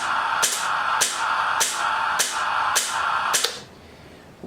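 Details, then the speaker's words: Rolls-Royce Spey engine during a start-sequence demo: the igniters give sharp, even snapping about four times a second with a crackling hiss, then stop. The engine is not yet ignited and shows no oil or fuel pressure. Normal igniter firing. "Once the APU is up and running and it's stable, I would then signal to the APU operator to deliver air, and hopefully at that stage we would turn on the air valve, and we would also put the igniters on."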